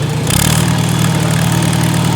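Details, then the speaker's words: Farmall Super A International Harvester four-cylinder gas engine, not run in a couple of years, warming up after choke: steady, even low putter with no knocks or misses; idling smoothly and healthy. "Oh man, listen at that International Harvester 4-cylinder engine purr."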